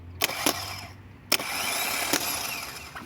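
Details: Opel Astra G 1.9 CDTI automatic no-start, starter bench-tested with jumper leads: a few sharp clicks as leads touch, then an even high-pitched whirr for about a second and a half; starter spins normally this time, though it later failed when fed through the solenoid.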